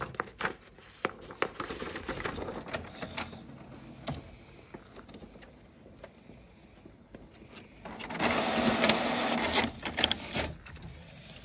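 Scattered clicks and ticks of the paper feed, then a few seconds of even carriage whirring; the printer runs cleanly and sounds normal.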